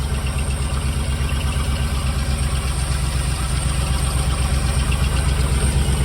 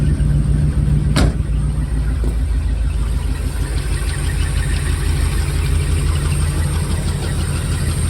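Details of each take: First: Jensen Healey V8 on first fire-up with new heads, still cold and burning oil off the heads and exhausts: steady lumpy idle with no ticking. A faint whirring underneath is suspected to be a rough water pump. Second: Jensen Healey V8 with new heads, first fire-up, engine stone cold: steady, even low rumble with no knocks or misses, smooth fast warm-up idle; heads smoking off oil.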